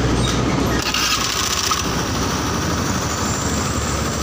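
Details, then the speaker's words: Honda Beat injection scooter after engine rebuild (oversize 50 bore, new bearings), idle screw set around 3 turns, about 1400 rpm, not over 1500: low, even idle with steady burble, no misses or surging; normal idle. "itu bisa bikin langsam itu bisa lebih adem atau lebih gede ya. Ini suaranya aja lebih adem."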